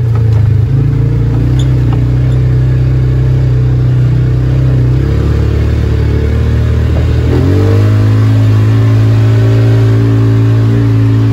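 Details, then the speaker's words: Polaris Ranger 570 single-cylinder after a cylinder head replacement, which fixed a ticking caused by a weak valve spring. It idles, then revs up smooth and even with no tick or backfire, and feels stronger. Normal running after the repair. "wow what a difference it runs so much better uh no more backfire no more ticking feels like it's got a little more power again"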